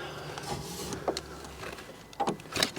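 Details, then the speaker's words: 2014 Fiat 500L salvage car, driver's door electric window tested: short dry scraping bursts as the glass moves; cause unconfirmed. "yeah yeah scrapey there for some reason oh you know what I wonder if that's I thought I might have some of the broken glass in the runner but it hasn't actually got a runner as such as it"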